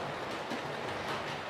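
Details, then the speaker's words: Model railway locomotive running on track: light, irregular clicks over quiet running gear, caused by a bent sand pipe at the wheels striking the sleepers. "Sand pipes going down to the wheels. So, I can hear it clicking as it goes over the rails hitting off the sleepers."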